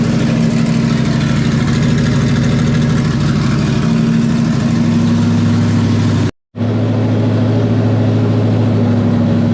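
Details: 1994 Terry Labonte Oldsmobile race car V8, after replacing bad spark plugs and plug wires (arcing wire, near-zero plug gap): deep even rumble with crisp steady beat and quick clean revs, no misfire or stumble; running strong.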